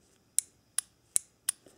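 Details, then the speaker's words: 1997 Nissan Maxima MAP/BARO switch solenoid valve (code P1105) giving four sharp, bright clicks about every 0.38 s as power is applied to terminal 2 on the bench; the click shows the switch works. "this verifies that this switch is working correctly if you do Supply power to the switch and you don't hear that clicking noise the switch is bad and you'll need to replace it"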